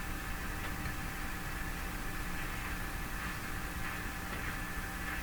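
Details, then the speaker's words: Philips PH202 vacuum tube console AM radio, power-up at about 108 V, dirty volume control, no antenna connected: a steady even hiss with faint fixed tones and no station, just receiver noise. "now that sounds more like a radio it's no antenna"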